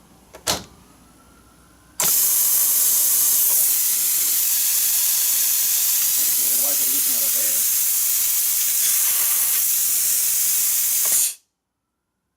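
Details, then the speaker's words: Plasma cutter with its air supply and regulator (built-in moisture separator) hooked up and switched on: a steady loud air hiss with the torch trigger untouched, air flowing when it should stay shut; cause unconfirmed, owner thinks he turned something. "why is it cheing that now it's not supposed to do that till I push the gun"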